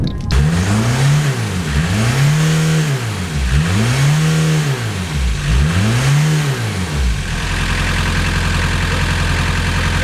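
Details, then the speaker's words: 1990 VW Golf MK2 GTD diesel after replacing the rocker gasket and leaky hoses: engine revved repeatedly with a rising and falling drone, no turbo whistle building, still some smoke; turbo not heard spooling. "'s still a bit of smoke i still can't hear the turbos spooling up"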